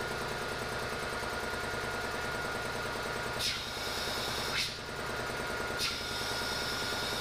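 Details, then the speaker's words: Air compressor's first test after wiring in a remote switch and a solenoid air valve: even motor hum with a few short solenoid clicks as pressure builds before the valve opens. Pressure switch set to 150; running normally. "all right that's a good sign the compressor's running and i can hear that solenoid click so i think it's definitely trying to open that this can't yet until there builds some pressure"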